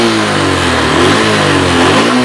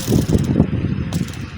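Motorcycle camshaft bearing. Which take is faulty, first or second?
second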